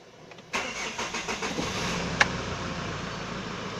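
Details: Hyundai Starex VGT diesel after fixing code P0192 fuel pressure sensor crank-no-start: a couple of seconds of uneven cranking pulses, then it fires and settles into a steady idle; now starts normally.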